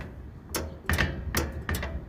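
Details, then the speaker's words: Maytag washer that sometimes would not wash or spin because the lid switch was not activating; after tightening the rear screw about 1.5 turns, crisp irregular clicks show the lid switch now engaging properly, problem solved. "Exacto amigos ahí quedó y por eso y de esta manera solucionamos el problema de porque esta lavadora no quería lavar ni exprimir"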